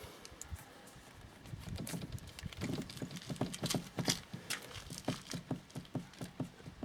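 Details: Peugeot Partner 2.0 HDI: sharp, hollow knocks about twice a second as the steering is worked, from a worn universal joint on the steering column shaft, which is then replaced.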